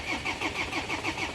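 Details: 2007 Land Rover Defender cranks but won't start; crank sensor and RPM fine, fuel pressure dropping quickly, with a suspected leak. Even cranking pulses about six a second catch into firing on starting fluid, pointing to a fuel supply problem.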